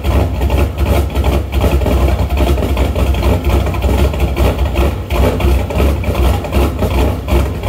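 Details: Shelby after new MSD Street Fire 8mm plug wires, boots and plugs: low idle surging and dipping two or three lumps a second, running rich until revved though it drives fine; owner suspects ignition problem, possibly rotor, unconfirmed.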